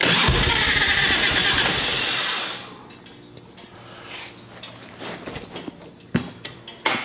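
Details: 1989 Harley Ultra Classic Tour Glide Evo after a carb clean, warming up and tried without choke: runs rough and loud for a couple of seconds, then sags and dies, leaving clicks; starts and runs on choke but won't hold idle off it.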